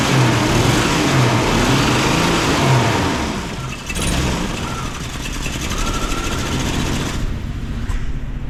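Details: 1999 Jeep Cherokee XJ 4.0 judged dead by mechanics, first run after refitting the cap, wires and plugs: it runs on its own with a steady low thrum, but the beat stumbles now and then. Slight miss, cause unconfirmed.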